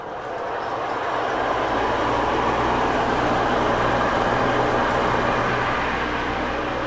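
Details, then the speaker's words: Greenhouse exhaust fan, about 30 years old, kicking on at 86°F after the louvers open. It spins up to a steady low drone with a rough rumble underneath; worn bearings are suspected. "yeah yeah I know sounds like the bearings are going out on it that that fan is probably 30 years old"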